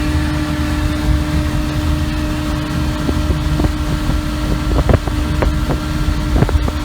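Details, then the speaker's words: 33 HP Evinrude Ski Twin outboard after carburetor adjustment, high-speed needle 3/4 turn and low-speed 1.5 turns out: steady, even high-revving buzz at constant pitch over wind and water; pulling cleanly at full throttle. "Now you can hear what it was running like after I did the adjustments. Quite happy with the results."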